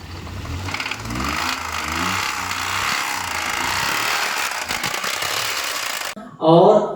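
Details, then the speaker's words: Rod knock in a 2005 Maruti Alto engine: heavy, steady hammering knock over the engine note that roughens with revs; customer thought the noise came from the alternator belt and pulley; crank to be sent for grinding and new connecting rod bearings fitted. "तो अब जरा सा engine का sound सुन लो किस तरीके से था।"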